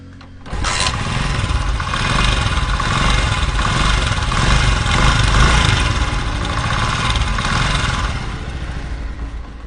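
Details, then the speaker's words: 2023 Honda CG125 motorcycle engine starting and idling with loud, uneven clattering rattle over the exhaust beat, typical of a slack timing chain from a weak tensioner. "सुनी आपने, कितनी ज़्यादा आवाज़ बुरी है। और बाइक देखे, ये 2023 मॉडल बाइक है और इसके इंजन से कितनी ख़तरनाक आवाज़ आ रही है।"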